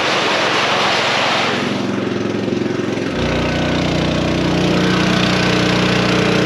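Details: New small engine on a farm sprayer, cold start with choke on and fuel open: catches about three seconds in and settles into a steady, even beat; runs clean and healthy.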